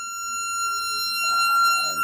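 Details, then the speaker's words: Jensen V21 upper driver on a Leslie 21/22 test station with a 22H amp, volume turned up while changing frequency: a steady test tone, then a buzzy rattle joins; the speaker rattles, possibly the bass woofer coming in (uncertain). "you think we need to hear that is it is rattling"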